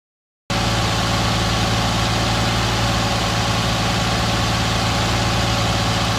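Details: 2010 Nissan Maxima cold start. Owner reports a loud puttering from underneath only after about 15 minutes warm driving, noticed after an oil change, and wonders about TSB NTB12-071 (#1 main bearing knock). This cold start settles to a smooth idle with no knocking: normal.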